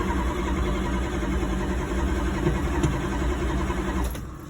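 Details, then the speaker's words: Dodge Dart: the starter turns the engine over at an even, steady rhythm but it never catches or fires. Crank no start; no spark confirmed and the distributor wiring is being checked. "definitely no spark all right i'll switch the wires left to right see how we go again no spark and try again"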